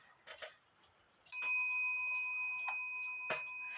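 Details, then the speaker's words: Eight-day shelf clock, after the hammer wire was bent away from the wood it was touching: a single clean strike rings with a clear, sustained bell tone decaying smoothly, undamped. Normal strike after hammer adjustment. "doesn't that sound a lot better let's let you hear it again I love that sound a lot better than what it was"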